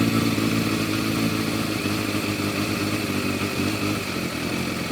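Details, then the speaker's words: Yamaha FZR1000 motorcycle at idle after carb balancing with a Digi Sync tool, revs turned back down; the pairs had been well out of balance and now read within 2 units. Steady, even, smooth multi-cylinder burble with no hunting or misfires; carbs well balanced, normal idle. "Heard it pick up on the revs. So we'll turn the revs back down again a bit. Running a lot smoother now."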